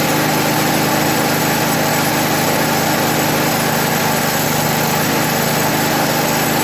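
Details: 1980 MTD SnowFlite 5-20 snowblower, 43 years old, after fitting a new Qazaky carburetor and opening the factory-closed mixture screw one turn: small single-cylinder engine buzzes at an even, steady speed with no surging or misses; running clean.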